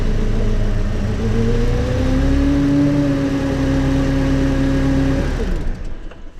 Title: SLK 200 K R171 grinding noise part 2